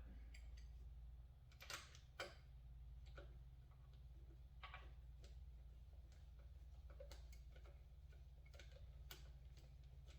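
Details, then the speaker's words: Honda XR80 (or 90) with no-compression and high-rev complaint, sooty spark plug cleaned: sharp irregular snapping ticks over a low hum as the plug fires, confirming spark present. "there we are okay we know we got spark"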